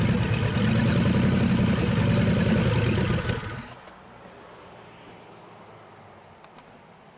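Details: 1963 Pontiac 389 V8 first start, no hood, hot-wired points ignition: steady, even idle with a smooth beat for a few seconds, then a clean shutdown; normal idle.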